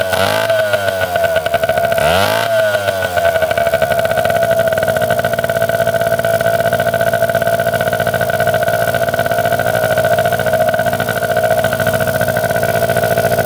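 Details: 1971 Yamaha JT1 mini enduro two-stroke, stored about 30 years, after clearing mouse droppings and poison from the clogged exhaust and setting the idle: settles into a steady, even buzzing idle with no misses or surging; running properly.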